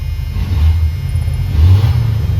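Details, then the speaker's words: 1990 Dodge W250 Power Ram after removing an item that was weighing down the throttle cable and causing it to rev up slowly: deep loud rumble, revs rise and drop back cleanly with no hang or stumble; normal revving. "And that's why it was slowly slowly revving up, but I just took that off and it feels fine now."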